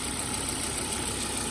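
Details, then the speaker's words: Cheap Volvo XC70 five-cylinder, automatic transmission considered weak: smooth, even hum with no knocks, misses or rattles; runs and drives but not to daily-driver standard; normal idle. "Otherwise, you can hear, sounds pretty decent, nothing too crazy. And it does run and drive."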